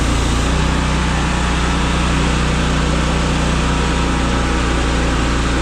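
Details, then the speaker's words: Brand-new Miller Bobcat 265 AirPak welder/generator running with its screw air compressor switched on and pumping. Steady, even drone with a low hum holding constant under load, no knocks or squeals; normal running under compressor load. "That's it man so if you want to hit the air to it you just hit this and it'll come on so it's pumping"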